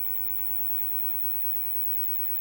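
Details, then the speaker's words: Fenton Weill Bass 15 valve amp, main HT 308 V, fresh GEC EF86 fitted after the old one lost vacuum: constant soft hiss spread evenly, no hum or crackle, valve now conducting with 3 V on cathode; noisy preamp stage. "I don't know if the Mike's picking the hiss up tremendous amounts of hiss and on the cathode we've now got three volts so the valve is conducting"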